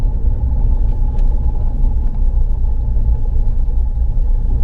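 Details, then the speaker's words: Mahindra XUV500 6-speed manual gearbox after a complete overhaul (clutch had already been replaced): the earlier "huk huk" noise when pulling in second gear is gone, leaving a steady road rumble with no whine or knock; normal gearbox operation. "पहले क्या होता था जब हम पहले गाड़ी gear डाल के खीच करके एक साउंड आता था गियर बॉक्स यहां से अब वो साउंड नहीं आ रहा"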